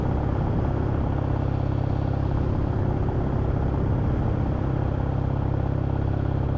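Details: Kawasaki W650 twin at idle, after the fix for a loose-sounding rattle heard riding at 40–60 km/h: even, steady twin-cylinder thumping with a clean low rumble and no loose rattle on top. Normal idle.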